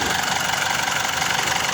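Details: Diesel engine after replacing a dirty diesel fuel filter: steady, even idle with a smooth, constant note, no knocks or misses; the earlier loud noise and low power are gone.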